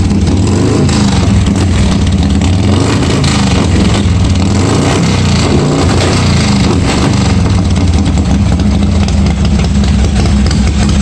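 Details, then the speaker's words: 1986 Harley-Davidson Softail first start after wiring repair, gas added: loud steady V-twin lope with deep exhaust pulses and no knocks or rattles; running evenly, oil pressure not checked. "kill button works well looks like it started so i didn't check the oil pressure or anything"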